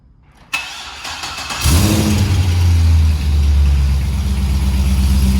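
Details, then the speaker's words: C6 Corvette V8 first start on test pipes with custom extension pipes to factory center section, some fabrication oil smoking in exhaust; brief starter whir, then catches into deep steady even idle; healthy cold start. "so put a little sound clip here so you can hear what she sounds like first start there's some oil in the exhaust and stuff from fabrication so we'll get a little smoke but sounds"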